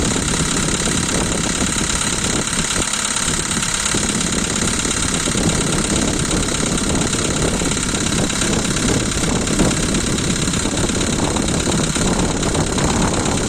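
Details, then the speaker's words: Volkswagen Polo 2012, 1.6 CFNA engine, cold start: busy cold idle with loose, uneven slapping tick from the top end, one lifter loud and a couple faint; hydraulic lifter tick that stops once warm. "Один сильно шлепает конденсатор и парочку немного."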